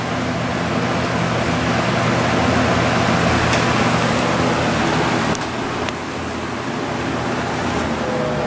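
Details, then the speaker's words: Vintage Lasko model 4713 box fan running on low speed. A smooth, steady rush of air over a pronounced motor hum, with no wobble or rattle; the fan runs healthy. "don't know how well you can hear that motor hum but it is quite pronounced on the span even more so than the Sears version of this that I have"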